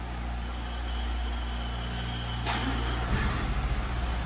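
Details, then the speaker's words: Nissan Exalta, start after fitting a brand new replacement ignition coil: catches on first crank, even steady idle, no stumbles or skipped beats; misfire gone though check engine light comes on. "Lumutang kaagad si check engine pero wala ng palya yan mga boss. Smooth na yan."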